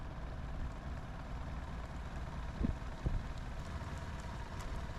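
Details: Sea Ray boat engine after broken fuel line replacement, cylinder drops even on all four, idling low. Slow, deep, steady idle with soft thumps. IAC fault active, IAC test shows no reaction.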